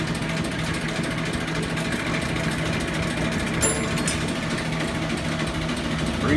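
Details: Bowser Century clockface gas pump pumping antifreeze through nozzle into filler pipe to bottom tank: steady low motor hum, light even whir and faint ticking, no catches or grinding; runs smoothly.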